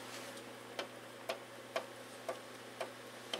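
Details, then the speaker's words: 1994 Briggs & Stratton Raptor 5 hp engine teardown, oversize (about 20-25 over) piston rocked by hand in the bore: sharp, light clicks about twice a second reveal excessive piston-to-cylinder clearance, piston loose in the bore. "But look at that play. And that should be tighter than that in that cylinder home, and it's not. It's pretty loose in that cylinder home."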